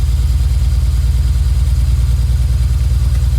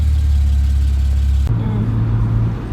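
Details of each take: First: BMW 335 wagon (E91, N54 engine) idling with a bad misfire; heavy low idle with an uneven stumbling pulse about three times a second, during a coil swap test between cylinders 1 and 2. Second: BMW E91 335i wagon N54 engine, cold start not yet warm, after misfire diagnosis (swapping parts to follow problem cylinder) and codes cleared: single rev rises and falls cleanly, settles to even idle, misfire gone.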